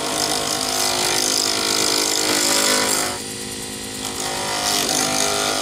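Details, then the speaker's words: Lathe turning a D-shaped circuit board resin blank for a Sierra pen: harsh rapid chatter about four hits a second as the tool strikes the corners, quieting to a rubbing sound once round; chatter on out-of-round blank. "when you're hitting the corners you get a an obvious chattering noise then as you get down to actually turning a round object you have no more noises it just sounds like you're rubbing on the plastic"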